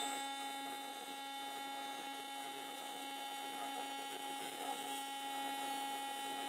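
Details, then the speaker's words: AC TIG welding with magnesium filler onto aluminum: a steady buzz with faint popping and crackling as the dissimilar metals fuse poorly, and the weld is expected to crack off. "I don't know if you guys can hear that. Kind of popping and crackling."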